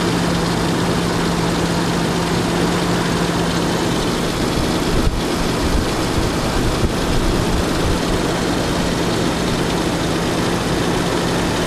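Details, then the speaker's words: 1989 Jeep Cherokee automatic with new plugs, wires, distributor cap and battery; owner reports idle sometimes dips; just started, even steady low rumble and constant hum, no stumble or dip in clip; idles smoothly. "Starts right up. Let's go through to the engine. You can hear that it's idling pretty good."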